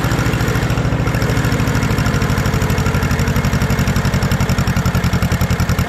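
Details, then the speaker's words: 1950s barn-find Schramm air compressor, single-cylinder, revived: steady even beat around 160 a minute, loud, could use a better muffler, no misses or stumbles; running smoothly. "it's a little loud it could use a better muffler but it just sounds really unique it sounds like nothing i've ever heard"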